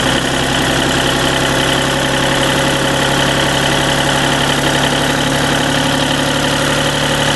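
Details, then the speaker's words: Deutz diesel engine driving a Lima generator, first start-up after repair, held at about 1,800 rpm governed speed: dense steady drone with no knocks, misses or surging. Normal running. "thinking that's pretty close to 1,800 right there."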